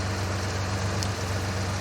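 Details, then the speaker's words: 1967 Jeepster, Buick 225 V6, ME Wagner adjustable PCV, suspected intake manifold gasket vacuum leak, mixture set rich; microphone near exhaust; steady low idle with a beat dropping out now and then; intermittent misfire at idle, probably one cylinder still lean. "That miss is probably because one cylinder's still a little bit lean. So I've basically made everything a little bit rich, which means some of the cylinders are going to be richer, too rich."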